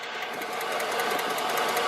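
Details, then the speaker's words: Chevy 5.3 V8 with glass-pack exhaust, about 91,000 miles, idling with a sharp, even tick about five times a second: an exhaust manifold leak with a broken bolt head and a suspected crack. "I know one bolt head's broke off, and I think there's actually a crack on this side. You can kind of hear it clicking."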